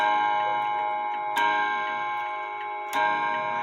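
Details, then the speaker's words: Seth Thomas Sonora chime clock, shipping lever removed: two clean, ringing chime strikes about a second and a half apart over steady ticking; the hammers and chime are working properly. "pick the shipping lever off so the Chimes can strike and listen to this sr4 hammers hitting"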